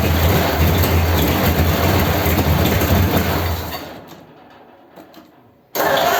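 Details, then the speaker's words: 286 cu in flathead V8 (3-3/8 in bore, 4 in stroke) first start after fixing crossed plug wires on cylinders 3 and 4; runs rough with popping bursts, dies and restarts. Plug leads or distributor suspected, not confirmed. "well it started and it sounds good when it runs it's a bit poppy bangy isn't it"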